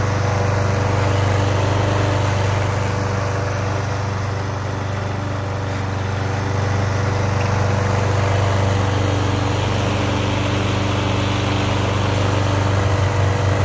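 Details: Toro Super Recycler GTS 6.0 hp self-propelled mower, after a complete gear drive rebuild for grinding and slipping, tested in the yard: steady, even single-cylinder drone with no knocks, grinding or slipping; mower and drive are fixed and healthy.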